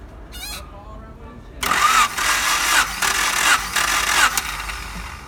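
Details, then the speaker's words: 1992 Honda Accord CB7, cylinder 2 dry compression test, ignition disconnected, cranked about four revolutions: even, unhurried pulses, each stroke alike; gauge reads about 180 psi, nearly same as cylinder 1, healthy balanced compression. "Revolution. Oh, what is the value? Yes, nearly the same, 180 psi."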